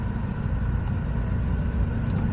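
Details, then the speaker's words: 2016 Toyota Avanza Type E, 1NR Dual VVT-i engine, idling near 800 rpm with check-engine light on: low, uneven idle rumble with irregular shake; misfire found to be dead ignition coil no. 3, alongside air bubbles blocking coolant flow. "tapi kalau mobil dijalankan itu terasa nyendat kasar Hai terus mesin itu agak bergetar dikit guys"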